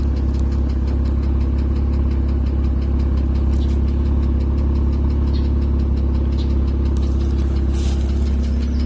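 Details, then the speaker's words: 2005 Porsche 987 Boxster S bought with suspected engine problems, IMS bearing work possible: steady low idle with a faint regular tick about two per second; not heard in a couple hundred miles of driving, cause undetermined. "So as you can hear, there's an audible tick sound."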